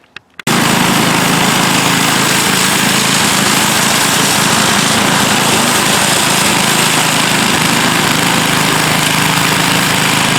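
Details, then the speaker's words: Toro 7/24 snow blower, seven-horsepower single-cylinder, that started then quit, after fitting a new carburetor with slight low-side adjustment: catches and runs steadily at a high even buzz, no surging or dropouts; works, may need fine-tuning. "there you have it it works and it's a little fella but it does work"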